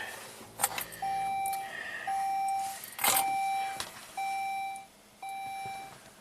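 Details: Saab 9-3 V6 Turbo manual with intermittent no-crank: with key on and clutch pressed, a single-pitch chime repeats about once a second over a few clicks, traction control failure message shown, no check engine light, no crank; cause not confirmed.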